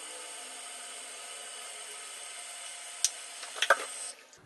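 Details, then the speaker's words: American Standard toilet (owner believes Champion 4, about six years old) after replacing fill valve washer and O-ring to stop constant running: steady water hiss of tank filling, then clean shutoff with a couple of clunks and silence; fill valve working normally. "Well, it stopped, guys, and it stopped, and I don't hear it running again."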